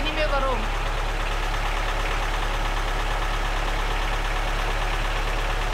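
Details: Lada Niva, long unused, just started after battery charging: loud uneven tractor-like idle, steady low drone with irregular knocking under two beats a second, as if missing on a cylinder; cause not confirmed.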